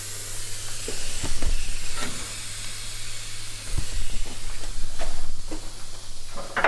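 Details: SAAB 9-5 Aero turbo system under a pressure leak test with a compressor. A strong, continuous airy hiss with handling bumps, blowing straight out from the underside; major boost leak.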